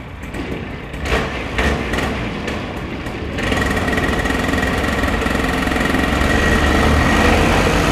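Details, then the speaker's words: Rebuilt paramotor engine after mid-flight failure, first start after assembly, primed: a few kicking-back pulls, then it catches and settles into a steady even high buzz; small two-stroke runs clean, normal running. "Kicking back a little bit, but we'll get it started. It wants to start. Oh, it sounds good!"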